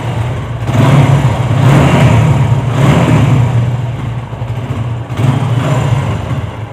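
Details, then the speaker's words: TVS Apache motorcycle after an engine rebuild to cure a previous rough engine noise. It now has a smooth, low, even exhaust note with light throttle blips and no rattle or knocking; normal running. "अच्छा ठीक है भाई यह काफी अच्छी sound हो गई अब"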